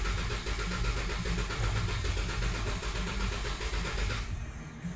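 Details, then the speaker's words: 2014 Dodge Durango 3.6L 4x4 with P0304 cylinder 4 misfire, coil and injector already replaced, cranking; lopsided cranking rhythm with one lighter beat per cycle; low compression, mechanical camshaft issue suspected. "I do want to see if there's like a clear flood I think this is clear flood you can hear the compression as"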